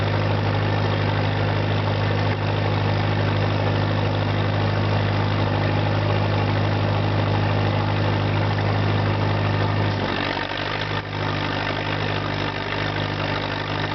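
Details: 1963 Lincoln redface SA200 200-amp welder with a rebuilt Continental four-cylinder and rebuilt generator: steady low, even idle drone with no knocks or misses, smooth and consistent; engine running healthy.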